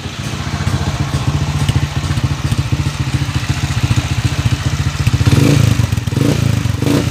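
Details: Honda TMX155 single-cylinder motorcycle engine at idle: loud beat with a rough metallic clatter; cause not identified. Engine clatter.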